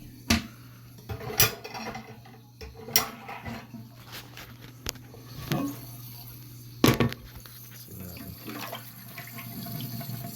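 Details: Toilet won't fill and makes a weird hissing noise: tank hisses and trickles under a steady low drone, with clunks as it's handled, from a failing fill valve.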